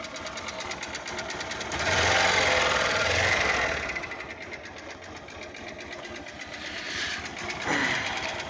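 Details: Honda Fan 125 single-cylinder motorcycle: steady deep internal knock about twice a second, louder as revs rise; owner suspects connecting rod or piston, not confirmed.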